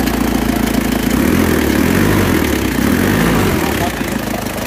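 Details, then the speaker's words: Isuzu Panther diesel with heavy oil consumption and compression blow-by. Uneven, dull idle lacking a crisp clatter and wavering in beat, with hard starting; rough idle because the injection pump timing is too retarded, fixed by advancing it. "Oke, ternyata ini timing bosomnya kurang maju, makanya hidupnya agak sulit, terus kurang renyah suaranya. Dirubah dulu ya, timingnya dimajukan."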